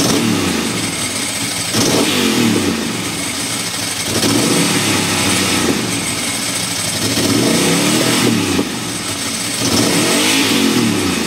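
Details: Ducati Monster M900 Sie, cold/wet conditions: loud V-twin running and revving unevenly, stumbling and dipping every couple of seconds; misfire, owner suspects the headlight wiring loom, not confirmed.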